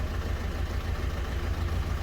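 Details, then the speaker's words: Ford Figo diesel idling with a low, slightly lumpy beat that stumbles now and then: heavy misfire, knocking, star light blinking, code P1204, revs limited to about 2000 rpm and 40 km/h; an injector fault is suspected. "गाड़ी के अंदर missing भी है star light billing कर रही है missing है बहुत ज्यादा"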